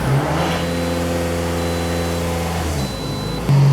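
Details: 2006 Toyota RAV4 Limited 2.4L started after exhaust manifold/catalytic converter assembly replacement settles into a smooth, even idle with a steady low hum, no ticking or exhaust puffing; normal idle, and the tailpipe test showed no leak.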